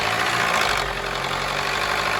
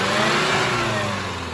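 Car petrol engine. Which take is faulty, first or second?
first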